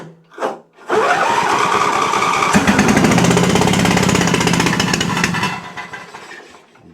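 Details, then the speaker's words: Exmark Quest zero-turn, Briggs Intek V-twin, on jump pack before repair: starts and runs rough and lopsided on one cylinder with very low power and sluggishness; later traced to a valve guide fault. "For a trained ear, it's very easy to tell this is running on one cylinder. Uh, very low power, very sluggish."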